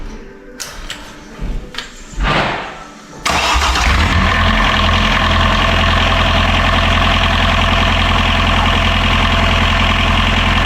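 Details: Catamaran diesel genset restarted to check its output for reverse voltage after something blew during lithium battery charging; a few cranks, then catches and settles to steady even idle, no misses, knocks or hunting: normal idle.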